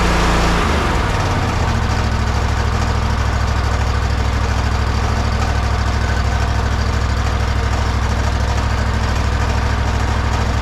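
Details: Toro zero-turn mower, with the old clutch due for replacement: engine catches and settles within two seconds into a steady, even low chug with no misses or knocks; healthy normal idle.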